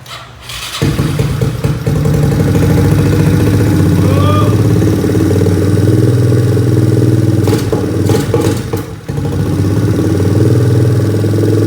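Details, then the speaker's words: 1986 Yamaha Moto 4 ATV that sat in the woods for years, started on a charged battery with a temporary positive cable. Brief cranking, then it fires and settles into a steady, strong single-cylinder thump with no misses; compression sounds healthy. "alright it starts we got compression all right bud high five sounds like we've got ourselves some good four-wheeler it's compression"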